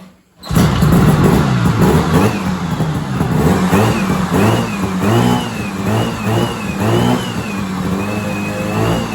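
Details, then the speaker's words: 1970s Sno-Pony snowmobile with a 340 twin two-stroke, revived after 20–30 years and now drawing fuel up the line: it catches and buzzes steadily, with revs rising and settling without stumbling. It runs fine. "Thing sounds like a crotch rocket."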